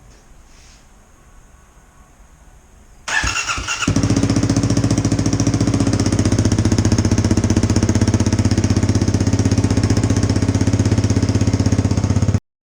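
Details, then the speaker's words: 2018 Kawasaki KLX250 single-cylinder with a newly fitted FMF Q4 slip-on exhaust (silencer installed), first start: a loud, sharp, popping idle; racket from an exhaust leak at the unsealed mid-pipe joint, later resealed. "I did not have the mid-pipe sealed like I should have and it was making all kinds of racket so I sealed it up a little bit better"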